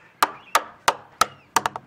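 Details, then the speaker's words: Used sailboat hull being surveyed by tapping: single sharp taps sound dull and flat without ring instead of clean; skin-to-core separation with water in the core, with crazing visible in paint or gel coat. "everything is hollow and has a little echo. Yep. That sounds kind of dull. That's skin to core separation. Okay. And that means there's water in here."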